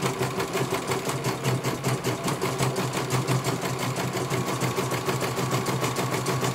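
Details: CNY computer embroidery machine in for service; at first its motor (dinamo) would not turn at all and the bobbin case was missing. Quick, even stitching rhythm of about five beats a second over a steady motor hum as it finishes one colour; normal stitching, judged very good.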